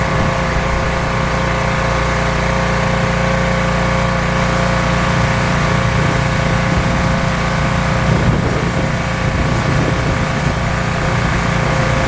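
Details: Rebuilt pressure washer small engine with a known leaking manifold, cleaning a car wheel: steady, even drone holding speed with pump loaded, no surging or hunting; runs really well, normal running under load.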